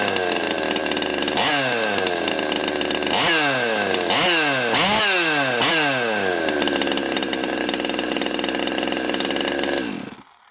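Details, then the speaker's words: Stihl MS200T chainsaw after rebuild (stripped bolt holes fixed, years of wear): fires and revs about five times, each rev dropping cleanly to a steady idle before shutdown. Normal start and run. "You guys wouldn't think there was a thing wrong with that."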